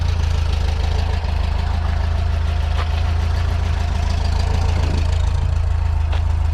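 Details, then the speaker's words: 1977 VW Bus with newly resealed valve covers, warmed-up idle: steady low, even chuffing with a smooth, unchanging beat and no knocks or misses; healthy, with no oil leaks seen. "sounds good. I don't see any oil leaks, which is awesome."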